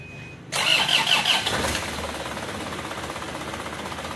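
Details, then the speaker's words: Isuzu Panther diesel from Jakarta using about 10 liters of oil on a Jakarta–Blitar trip; cold morning start, short crank then rough uneven idle, smoking immediately; diagnosed as worn piston rings with compression leakage and oil burning. "Jadi mas sudah positif, boros oli, bocor kompresi ya teman-teman ya."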